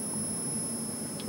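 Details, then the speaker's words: Philco 48-1000 TV during restoration, channel 4 fed but faintly received on channel 3: several steady high-pitched tones over faint hum then a noise burst, horizontal oscillator fighting and never locking, crude horizontal hold, tuner alignment suspected. "And we get to hear the horizontal oscillator fighting."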